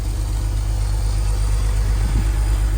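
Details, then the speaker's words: Roughly 20-year-old high-mileage BMW Z4 at a low idle with an uneven, stumbling pulse about three times a second after new spark plugs, air filter and oil change; it is still misfiring, most likely from a faulty ignition coil. "you can still clearly hear the car is misfiring so all of all of that effort did not solve the issue"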